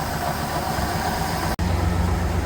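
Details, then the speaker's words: 1969 Chevelle V8, not run for at least 30 years, running off a gas can, vacuum advance canister not working: a low, even idle rumble with one brief dropout. It runs fairly well; normal idle. "Well, it's not running too bad for an engine that hasn't run in 30 years."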